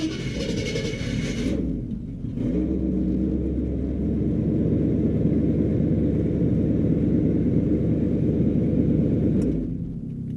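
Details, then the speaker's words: 1975 Chevy C10 with a 350 small-block after installing an upgraded replacement starter (GM12563829) without shims: a brief, clean crank, then an even, deep V8 rumble with no starter grinding; normal crank and start. "time to find out was it that simple and it sounds good I don't hear [Music] grinding in fact it started without any pumps"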